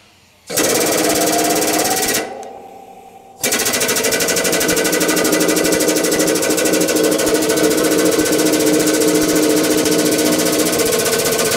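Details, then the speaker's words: Hydraulic press after a rigidity modification, pin moved to the other side: rapid even chatter about four beats a second with no popping or bangs; it ran smoothly. "boy that was nice and smooth no popping at all"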